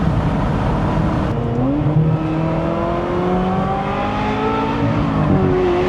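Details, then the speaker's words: Ferrari 355 V8 during inspection, revving: crisp revs climb and settle smoothly, pitch rising cleanly with throttle, no rattles, misses or odd noises; only the right noises, healthy so far. "Well, so far the only noise I hear making is the right ones."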